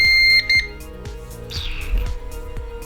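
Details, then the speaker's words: CyberPower CP1500AVRLCDa UPS switched on after a battery replacement: a short, clear high-pitched double beep, then a few soft clicks; it powers up normally. "is a good sound. That is a good sound."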